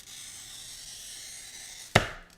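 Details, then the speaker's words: Brand-new glass cutter scoring smooth glass, like 1/8 inch window glass; smooth, even fine hiss with no skipping or chatter, then a sharp snap, a good wheel. "If your glass cutter that you just bought sounds any different than that on a really smooth piece of glass, such as a piece of 1/8 inch window glass, if your cutter doesn't sound like that, then there's something wrong with the wheel."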